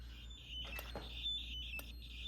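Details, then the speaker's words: Basement fire alarm system being upgraded, test before the horn circuit is attached: short uneven chirping squawks around 3–4 kHz in a quiet room. Owner doesn't know why it makes that noise; cause unclear. "All right, so I got this one up and I'm going to attach the horn circuit here in a minute, but let's just give this a test real quick. I don't know why it makes that noise."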